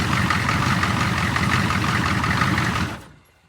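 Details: 6.5 turbo diesel Suburban after starter replacement, with no throttle hooked up: steady, even idle clatter at settled low speed, then it shuts down; normal diesel idle.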